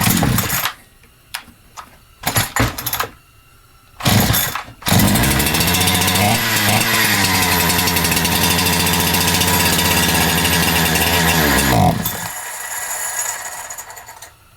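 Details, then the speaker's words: Holzfforma G372XP chainsaw (Husqvarna 372XP clone) before the carburetor was replaced: after failed pulls it fires on fuel dribbled into it and revs raggedly about seven seconds, then dies. It runs lean and won't idle; unclear whether adjustment or carburetor. "okay so it is running lean it's running out of fuel"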